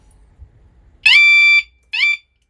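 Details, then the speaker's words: Suzuki SV650S aftermarket alarm siren after reconnecting its missed ground cable: loud high warbling siren about half a second, then a shorter burst before cutting out; missing ground was the problem. "so I'm going to connect it and see if it will shut off it's quite loud isn't it"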